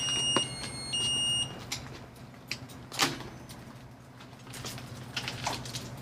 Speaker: Okay, now, that's how it's supposed to work. Right, you hear the beeping.